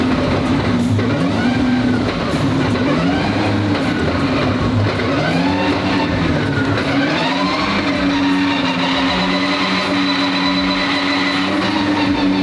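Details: Twin-turbo V12 Ferrari on first shakedown after build, on the ground for first drive: smooth, even low V12 hum at idle, steady tone over busy background; clean, healthy idle.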